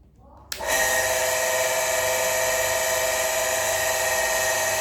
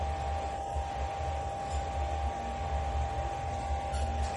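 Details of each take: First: Shimizu electric water pump with rough-noise complaint: starts, runs about seven seconds with rough gritty whir, then stops; worn motor bearing, replaced to restore quiet running. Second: Shimizu household water pump after repairing its rough, noisy running: smooth, low steady hum with a clean mid tone and no grinding.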